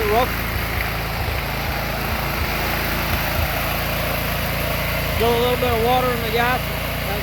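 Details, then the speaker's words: John Deere 216 lawn tractor engine idling with an uneven, stumbling beat around 140 a minute, running rough on leftover water and debris in the gas after fuel system cleaning; needs time on fresh gas, carb clean and new air filter. "All right. She's still got some a little bit of water and debris in the gas. It take a little while for her to run that out with the fresh gas."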